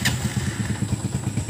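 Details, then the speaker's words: Honda TMX 125 Alpha single-cylinder motorcycle at cold start: a loose, uneven thumping idle at about five beats a second that stumbles and dies on throttle. The cause is put down to fuel in the carburetor, and it needs choke and warm-up. "So ito, pag ganito, kailangan nyo ba siyang i-choke, papainitin nyo para magtuloy-tuloy yung andar nya."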